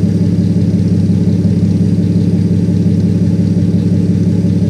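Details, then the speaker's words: 1957 Plymouth 2-door barn find parked 20+ years, old six at idle after fuel system primed and air bubbles bled, mic held right up to the engine; deep, even idle without stumbling, hunting or knocking, purrs like a kitten; normal idle. "She sits here and purrs like a kitten."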